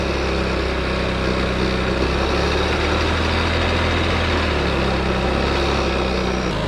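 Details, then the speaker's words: 2009 Honda Ruckus scooter, first run after one kickstart: the single-cylinder idles with a lumpy, slightly clunky beat that never settles. Rough idle; owner believes it still needs an oil and fluid change. "it's a little clunky because it still needs some uh other fuels change like the oil and all that stuff but uh man it runs"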